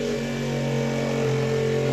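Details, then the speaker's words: Sailboat Spectra watermaker after a new high-pressure pump was fitted, freshwater flush while purging air through the pressure relief valve: steady, even hum at constant pitch, no rattle or surging; air seems to be clearing, with one small drip found. Normal pump running. "that is a good sign that thing is running sounds like the air is getting out of it"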